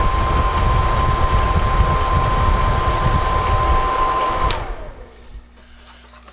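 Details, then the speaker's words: Honeywell ionizing HEPA room air cleaner running with its cover open before cleaning: steady airy fan rush with a thin constant tone near 1 kHz, winding down at switch-off; dust-clogged fan shafts with dust and bugs, about to be cleaned and oiled. "There's a bunch of dust down in there. And a few bugs. First thing I'm going to try and do is clean the dust off these shafts."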